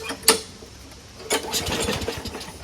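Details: Lawnmower after winter storage, after a quick and dirty carburetor clean: a few sharp pulls, then the small engine catches and keeps firing in a light, busy patter. It now starts readily.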